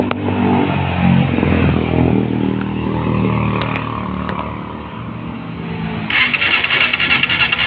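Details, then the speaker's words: Honda CBR150R motorcycle at idle sputters unevenly and dies completely unless the throttle is held open, picking up ragged when blipped; will not start with throttle closed; weak spark to the plug, faulty ECU suspected as cause. "Jika Anda tidak menekan pedal gas, mesin tidak akan menyala. Ia mati sepenuhnya seperti ini."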